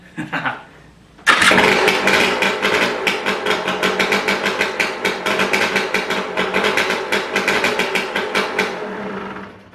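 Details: KTM 300 EXC two-stroke after a top end rebuild (old piston had a blown section and over 5 mm ring end gap), first start with high compression: crisp popping beat settles without knocks or rattles; clean normal startup.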